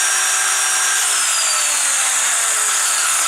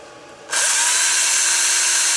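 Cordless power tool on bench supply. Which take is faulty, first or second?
first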